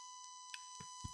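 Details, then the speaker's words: ICZI Surface Dock for Surface Pro 3/4, audio output port tested with the microphone held close: steady high-pitched buzz with faint hiss, then handling bumps; electrical buzz and hiss on the dock's audio output, which only supports 16-bit/48 kHz. "There's a bit of buzzing to it, so that fucking sucks."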